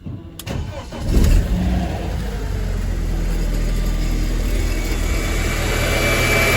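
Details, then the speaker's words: High-mileage BMW E46 318Ci, 2.0 N42 engine, start-up: rough clatter, then an even idle with a light rapid rattle underneath; timing chain rattle suspected, though the source is later doubted. Unconfirmed. "So let's have a listen to this chain rattle."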